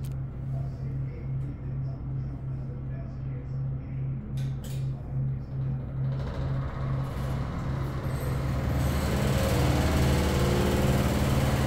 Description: The fan vibrates the entire ceiling to the point it vibrates the drop-ceiling flourescent light geometric light covers.